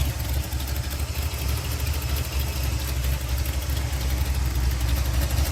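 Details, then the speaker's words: 1987 Chevy S10 305 V8 idling through cheap regular mufflers after a test drive on the new mechanical fuel pump; it didn't die after 2–3 full-throttle runs, and the steady burble has no miss or knock, so it is fixed. "Gave her full throttle 2 or 3 times. Didn't die on me none, so I'd say she's fixed."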